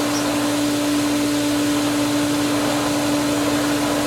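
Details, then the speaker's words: Pool pump after opening winterized skimmer valves: a constant motor hum with a steady airy hiss as air in the lines is drawn through. Once the valve is fully open, the pump turns quieter while small bubbles still pass. "a lot of air coming through here but let's give her some more like all the way more and there we go now we're moving and the pump is quieter even still there's other little Bubbles getting through the system"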